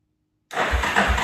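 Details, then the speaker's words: 1998 Yamaha Warrior 350 ATV sitting ten years, new battery, carb cleaned, no fuel yet: after brief silence the starter spins the single over in steady, unlabored thumps; engine turns freely, not seized. "over it's not locked up I guess now all we have to do is put it all back together"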